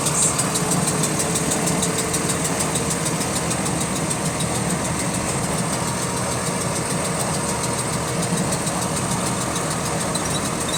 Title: Repetitive Clicking Noise In Sync With Engine Speed | GAL WVL358 On Bus Route 486 Part 2